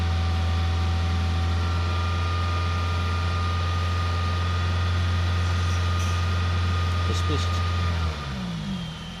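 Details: Toyota Celica 1.8 VVT-i 143 hp in closed loop but not fully warm, code P0171 only, failed MOT on emissions; low idle with an uneven pulse and faint hiss, then dips, running lean. Intake manifold gasket replaced, helped briefly; vacuum leak suspected, unconfirmed.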